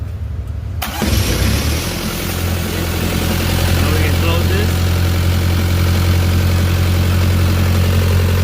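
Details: Carrier X4 diesel engine after running out of fuel, hand-primed with 100+ plunger strokes: catches after about a second and settles into a firm even clatter at steady idle; starts and runs normally.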